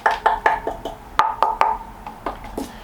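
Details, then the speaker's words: Planet X E130 carbon fork during a used-bike tap test: sharp taps each leave a clear, even ring with no dull or solid spots, so the fork is sound. "what you looking for is a uniform sound so that's the same sound all the way through cuz that section is the same right Forks you get a nice ring on"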